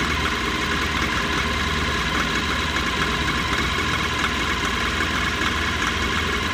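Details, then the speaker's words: Mahindra Maximo diesel after replacing faulty cam sensor that caused starting trouble: steady even idle with smooth clatter, no misses, knocks or hunting; engine healthy. "Friends, ಗಾಡಿ start ಆಗಿದೆ. ಇದೇ cam sensor flower ಮತ್ತು ಹೋಗಿದೆ."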